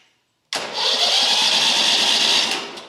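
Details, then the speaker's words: Lumbermate 2000 sawmill with a Vanguard V-twin, just after fitting a new universal starter solenoid: the engine cranks over at an even, steady whirr for about two seconds with no clicking; the starter engages properly. "And she's cranking over now."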